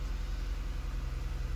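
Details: 2009 Ford Edge after new alternator and fusible link replaced by a serviceable fuse: low, smooth, even idle with steady pulses, no knocks or whine; battery light out, over 14 volts charging, normal.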